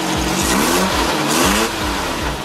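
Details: VW 1300cc dune buggy sand rail after a broken throttle cable was fixed with a hardware store clamp, some gas suspected in the oil: crisp throttle blips, pitch climbing and dropping cleanly with no hesitation or stumble; normal revving.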